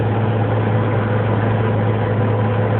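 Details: 1994 Mazda B2300 manual-transmission pickup coasting in neutral or with the clutch held in; a loud, steady low howl from under the hood continues until nearly stopped, and the truck also slowly accelerates on its own.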